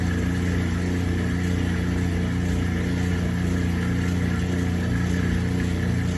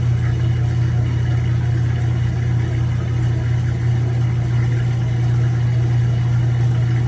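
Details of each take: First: Kenmore 80 Series direct-drive washer performing a proper neutral drain: a steady low motor hum with an even, smooth churn and no slipping or knocking. A normal neutral drain. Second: Kenmore 80 Series direct-drive washer on neutral drain: constant low motor hum with faint uneven pulsing as the basket turns when it shouldn't; the transmission is slipping, a bad transmission that was later replaced.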